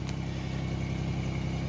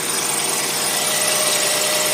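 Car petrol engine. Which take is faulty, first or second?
second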